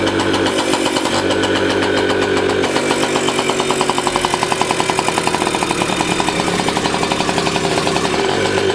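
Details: 1985 Yamaha QT50 scooter, small two-stroke: uneven, pulsing buzz that never climbs in pitch; engine runs but will not rev. Owner suspects an exhaust blockage and tries disconnecting the muffler; cause not confirmed.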